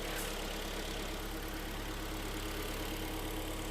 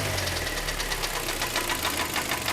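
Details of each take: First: Hyundai/Kia G4KD petrol engine just after overhaul, AC compressor whistle now gone: steady, even idle with a smooth low hum, no whistle or knock; normal idle. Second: 2011 car with Korean G4KD engine, knocking and burning oil before overhaul, heard at idle under the open hood: fast, even metallic ticking over a rough idle, steady with engine speed; engine knock.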